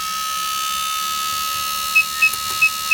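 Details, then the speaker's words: Motorcycle fuel injector on a cleaning/test bench at simulated 8,100 rpm: fast, even, crisp injector clicking over a steady electrical hum, spraying fine mist; normal pulsing delivering metered fuel per stroke. "so that's 8,100 RPM and you can see it's just a Mist coming out now and you can hear the pulse and that's in your bike it's that pulse that releases the exact amount of fuel in the right volume for that stroke of the cylinder"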